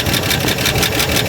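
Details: Barn-find 70-year-old car first revival, idling with 50 psi oil pressure: fast light typewriter-like ticking clatter from dry rockers; valve train not yet oiled, valve cover to be pulled to pour oil on.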